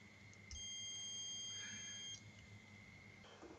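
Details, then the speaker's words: Continuity tester on relay contacts: one steady high beep of about 1.5 seconds in a quiet room; closed circuit confirmed. "but as soon as I activate the relay coil there you go it's now switched over to the other pin"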